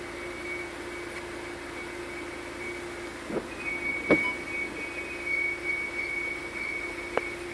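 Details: Audi RS4, noise sometimes after a bit of acceleration then braking: steady high whine with lower hum and a few sharp clicks from the clutch area; cause unidentified.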